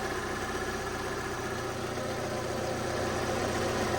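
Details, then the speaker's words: Car at 69,600 miles, recently sitting, at idle: light, fairly regular rattle of about four beats a second over the exhaust that comes and goes as the clutch pedal moves; owner suspects the clutch, not the gearbox, unconfirmed; noise at idle. "it does sound like the clutch cuz when you put your foot on the clutch up and down the noise goes and stops and goes and stops and goes and stops"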